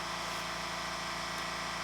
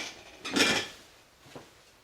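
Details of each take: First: California Air Tools ultra-quiet compressor with intake silencer fitted: steady, even motor hum with soft hiss and no harsh clatter through the cycle; quieter, less clackety, normal running. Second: California Air Tools "ultra quiet" air compressor running with its intake silencer missing, microphone about 10-12 feet away: after a few clicks it starts into a steady, loud, hollow roar with a fast pulse, like standing next to a train.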